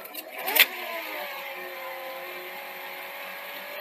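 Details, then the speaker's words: Sony SL-C30 Betamax deck: steady high whirring whine over tape hiss, tape spilling out on play: tape running too fast. "press play it just spills out tape running way too fast"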